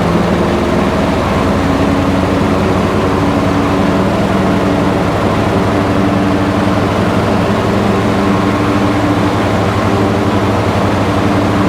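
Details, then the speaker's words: Husqvarna lawn tractor twin at full 3300 rpm no-load runs strong and steady, then lugs and won't regain speed once the electric PTO engages; bogging under load from low compression, loose push rod. "but as you can see you know the engine engine appears to run fine"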